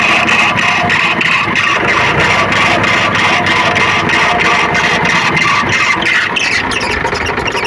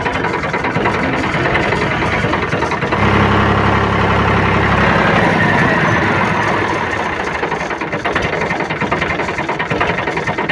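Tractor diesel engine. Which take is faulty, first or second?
first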